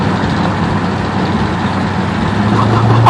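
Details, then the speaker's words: Lexus SUV heard from the car behind: loud, raspy, chuffing roar under acceleration, like air escaping from the block; suspected blown exhaust manifold gaskets, not confirmed. "it sounds like he blew out every single manifold gasket on the damn thing"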